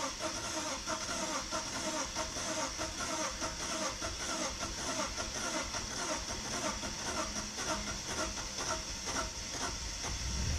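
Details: BMW E46 320i hard cold start after drying wet spark plugs; long stretch of steady, even cranking, a few beats per second, engine reluctant to catch.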